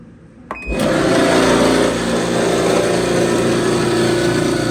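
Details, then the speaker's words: Frigidaire-made Brada clothes dryer run with a bypass: starts, then a loud steady rumbling whir with rough rattle; drive belt had come off, leaving the idler pulley spinning free and noisy; fix is a new belt, part 134503600. "کمربند خطا خورده بود، به او خاطر همونطور تنها مانده بود. کمربند باید سرش بیایه و به او خاطر سر صدا میکرد."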